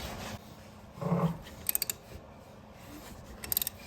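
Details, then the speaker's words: 1984 Corvette C4 V8 turned slowly by hand, with coolant in the cylinders: one harsh rasp then light clicks from the bottom end; severe lower-end damage suspected. "so right after I get it past that point sounds like the lower end's making an incredibly terrible well noise"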